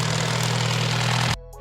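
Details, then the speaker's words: 1992 turbocharged Honda Civic EG hatchback, B18A1 bottom end with B16A head, at startup: hard, fast metallic tapping rattle that sounds like the cylinder head but comes from the bottom end. It's the timing belt tensioner, and the belt is jumping. "is it a tapping noise you're hearing right now yeah that rattling noise these almost sound like coming from a cylinder head yeah yeah but it's coming from the bottom end yeah right there on the right on the tensioner"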